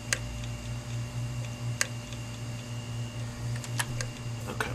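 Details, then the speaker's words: 500GB hard drive, freezer-treated for about 18 hours and powered up: a steady spin-up hum broken by sharp, irregular clicks. The heads are clicking and failing to read. "I'm going to go ahead and apply power to it it's just start to spin up okay you hear the head clicking that's that ticking"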